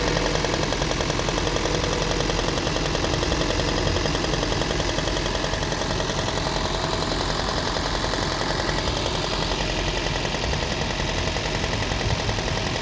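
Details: Toyota Prius 20-series: fast, fairly regular ticking knock about three to four per second over the steady idle; knock inside the engine, cause unknown.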